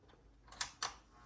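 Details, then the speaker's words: Carver M500t power amplifier switched on: slight transformer hum, then two sharp clicks a fifth of a second apart as the protection relay engages cleanly in a quiet room; normal power-up. "here I noticed when I turn it on they hear just a little bit of a transformer hum when that kicks in the protection relay did kick in and now we're ready to rock"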